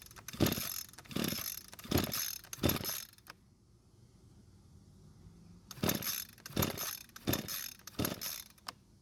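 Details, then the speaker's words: Echo string trimmer, curbside find of unknown history: pull-cord cranking in two sets, engine never fires. Fuel filter still connected to line; no-start points to a possible carburetor issue, cause not confirmed. "so the engine still didn't start and that means we might have a carb issue"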